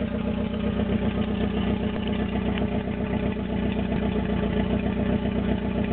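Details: Toyota AE86 with naturally aspirated 4AGZE on a re-pinned bluetop harness, ECU, injectors and fuel rail, no exhaust past the downpipe: idle pulses unevenly with a lumpy, stumbling beat and struggles to hold steady speed; rough idle.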